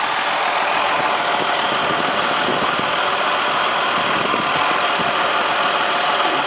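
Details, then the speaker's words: Engine idling with a steady loud hiss over a smooth idle and faint rattles beneath; vacuum leak persists despite replaced intake manifold gaskets, injector rail O-rings and hoses, source suspected at the back of the engine. "so I think the source of the leak is back here somewhere though"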